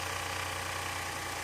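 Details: 2011 VW Polo petrol after repair of a misfire, pickup drop and check engine light (P0202, cylinder 2 wiring problem): steady, even idle with a constant hiss over a low hum, no stumble or skipped beat; the engine runs smoothly.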